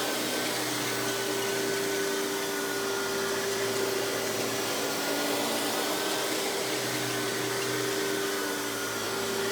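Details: Hoover PowerMax Supreme 850 S3609 1990s canister vacuum, non-original hose, high speed with power brush on: smooth steady motor whine, even airflow rush, no rattles or pitch wobble; runs very smooth, not the quietest canister; normal running.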